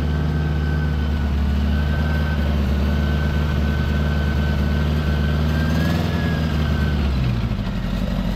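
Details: 1975 Honda Gold Wing, 32,000 miles, new Dynatek electronic ignition and coils, warming up before carb sync; choke pushed fully in, almost no throttle cable play. Steady fast idle that stays up, dipping slightly near the end. High idle, cause unconfirmed.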